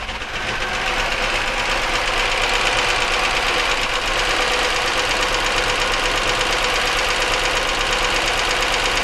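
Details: 1999 Chevy Malibu, 3100 V6, at idle with an oil pressure gauge fitted (35 PSI, surprisingly high): a steady quick ticking knock at about three beats a second rides over it. Internal knock, source not pinned down; cause suspected, not confirmed.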